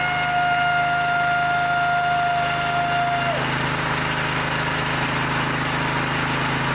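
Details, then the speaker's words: Twin-cylinder mower engine just reassembled after replacing a head damaged by a mouse nest: a steady, even putter with a light metallic rattle from loose muffler baffles, plus oil burning off as smoke; normal running. "well sounds like the baffles in the muffin are rattling around and of course we're going to get some smoke off of it"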